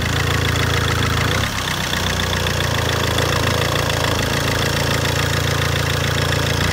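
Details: Fiat Albea 1.3 Multijet diesel at idle: a sharp, fairly rapid knock about four beats a second rides over the steady idle. Source of the knock undetermined.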